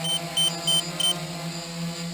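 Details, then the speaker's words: DJI F450 quadcopter (stock 2212/920kv motors, 30A ESCs, 5000mAh 11.1V 3-cell battery) in GPS-hold hover about 10 minutes in: the remote beeps in short high bursts over the motor drone as the 10.8V low-battery early warning triggers, signalling it is time to land. "my warning is set to 10.8 and you'll hear a beeping on the remote as well as the light flashing that's my early warning that it's time to I bring the quad back"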